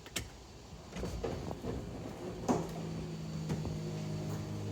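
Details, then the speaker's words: Mercedes-Benz SL convertible top cycling: clicks and thumps, then a steady, even pump hum with no straining or grinding; the pump and top work, though the trunk lid later sticks open; normal top operation. "you see the top is operating normally"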